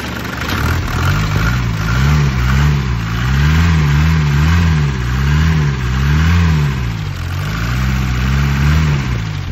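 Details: Mercedes OM616 diesel, after a new valve adjustment, new injection nozzles, changed hand pump and Bosch injection pump retimed (crank at 24° BTDC) to fix hard starting: steady idle clatter with even firing, picking up slightly near the end. It runs cleanly.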